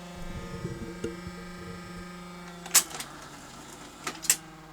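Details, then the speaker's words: 1978 Philips N1700 VCR-LP video recorder lacing tape on power-up: steady low buzzy hum under two sharp clunks; suspected howling capstan or drum motor, still works, rewind torque weak. "lace no that sounds more like a howling motor um yeah the motors do fail on these"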